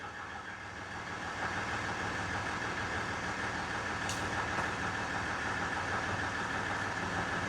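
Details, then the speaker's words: 2015 Ram EcoDiesel (tuned) idling after crank-no-start repair: quiet, steady diesel idle with faint even clatter, no stumbling or surging; runs fine after fixing butt-connected temp sensor wiring; fuel rail pressure over 4,000. "it's running fine now I fixed the uh temp sensor wiring that was butt connected"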